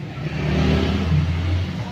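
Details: Generator that was hard to start, running after a carburetor and spark plug replacement; steady, even low engine drone holding constant speed with no misses or knocks; running smoothly and healthy.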